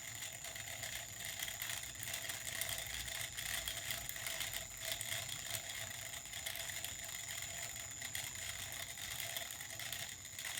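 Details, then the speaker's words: Small homemade magnet-ring pulse motor on a 3D-printed hub with a needle axle (point seated in a crosshead screw, top held by a magnet), spinning unevenly with a fast, dry, buzzing rattle and faint thin whistle: rotor rattle from imbalance. "I might turn the sound up so you can hear it rattling"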